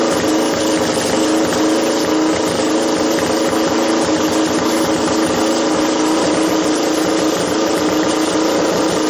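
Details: Doodlebug minibike with swapped Lifan LF200 (163FML) single, carburetor re-jetted with leftover Keihin jets: fast even buzz holding steady speed, no stumbles or misses; jetting sounds right, normal running.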